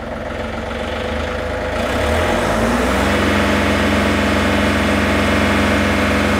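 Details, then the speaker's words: John Deere 3520 tractor diesel (Tier 3), 3672 hours, after throttle cable replacement: climbs smoothly from ~800 rpm low idle to a steady 2800 rpm high idle, non-adjustable per EPA, above PTO speed; no hunting or knocks, normal high idle. "perfect 2800 we didn't have any adjustment on the high idle the service manual said that that was fixed per EPA carb rules"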